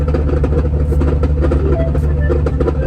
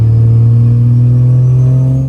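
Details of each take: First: 4th gen Cummins diesel making over 1000 hp, G56 6-speed manual after a burnout attempt: heavy drone with rough uneven low growl and faint gear whine; third gear destroyed in the transmission. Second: 4th-gen Cummins diesel pickup, built to 1000+ hp, G56 six-speed manual, under load: deep, steady drone that fades off cleanly with no whine, grind or clunk from gearbox or clutch; normal drivetrain operation.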